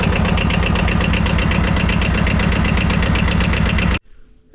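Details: 2007 Arctic Cat 700 diesel ATV after fuel filter replacement and priming, started after glow plug light off: even diesel clatter about four beats a second, steady for four seconds before shutdown; engine running properly.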